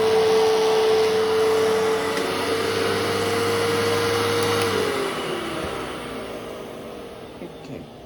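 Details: A vacuum picking up paper shreds: a mid-tone motor hum with a loud rough brush roll rattle that winds down at switch-off, cause unknown.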